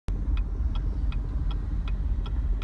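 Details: 2016 Chevrolet Camaro: uneven low rumble at idle with a sharp tick about every 0.4 seconds, engine shaking and jerking while driving, rpm needle dancing, no check engine light; running rough, cause unclear.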